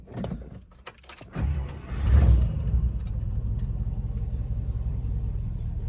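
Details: 1955 Buick, cold start with gas pumped: starter cranks, engine catches into uneven, lumpy low idle and stalls unless throttle held, needs about 15 minutes warm-up; stalling at idle, owner suspects carburetor, plans rebuild or replacement.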